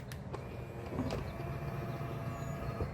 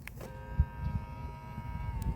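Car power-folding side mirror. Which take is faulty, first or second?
first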